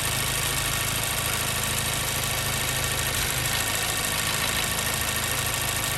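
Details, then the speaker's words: 2014 Mazda 3 2.0L with a P0302 code, warm after about 9 minutes of running: the idle drones steadily with a slightly lumpy, uneven beat as the cylinder 2 misfire becomes audible. A spark-cut test pointed most likely away from the ignition side. "All right, we're really starting to hear that miss."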